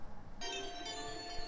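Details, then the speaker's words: NeoGeo MVS MV1-FZS arcade board after Z80 replacement for a Z80 error, running Neo Diagnostics BIOS with M1 test card; clean steady electronic tones over quiet room noise, all tests passed. Diagnostic pass beeps. "on dirait que tous les tests ont passé et on entend les bips demandé par l'épreuve de la carte de test"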